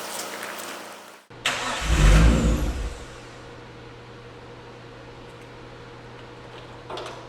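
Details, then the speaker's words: Nissan Skyline R34 turbo, tank run dry while the fuel gauge didn't read empty: cranks, catches with a short rough flare, then sags to a weak faint hum instead of idling; fuel starvation, fuel then added. "All right, so we diagnosed a bit of a fuel issue here. Actually very simple. The gas gauge wasn't reading quite empty, but obviously the fuel tank was empty, so we were adjusting fuel pressure."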